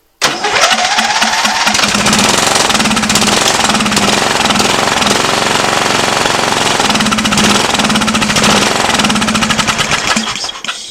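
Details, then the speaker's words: Lawn tractor with 16 hp overhead-valve Briggs & Stratton engine, spark confirmed good: runs rough only on starting fluid sprayed into the intake with the air cleaner off; not getting fuel, carburetor needs cleaning or replacement. "we know it's a fuel issue that it's not getting gas like it should"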